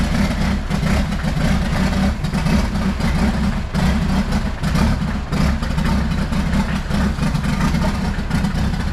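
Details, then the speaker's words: Jeep Wrangler YJ with a swapped-in Mercedes diesel, running: loud rough diesel with a rattly, uneven clatter over the low drone; owner suspects a little injector knock, also smoking heavily, injector pump adjustment expected. "just had that smoke issue and it sounded like I had a little injector knock"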